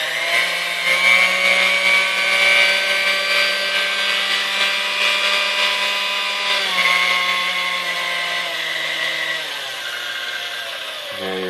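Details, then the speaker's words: Dormeyer 4300 Silver Chef chrome stand mixer: motor barely turns on speed one, hums unevenly and struggles at low speeds; something burning inside, secondary brush found hung up crooked, brush replaced. "all right on one to the barely runs on three it starts to get was first of all to speak of its own"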